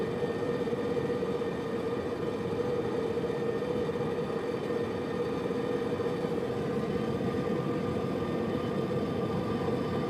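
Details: Subaru Liberty above 65 km/h, recorded from the left of the centre console: steady metallic grind over road and tyre rumble, persisting while coasting in neutral until speed drops to 60 km/h; speed-dependent grinding of unknown origin.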